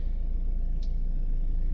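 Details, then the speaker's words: Nissan X-Trail T30 with QR20 engine, code P0302, check engine light; heard at tailpipe as engine warms: low idle rumble with uneven puffing beat, cylinder 2 misfire traced to a failed ignition coil. "I'm now hearing it. It sound like we do have a misfire as vehicle start to get warm. I'm hearing it."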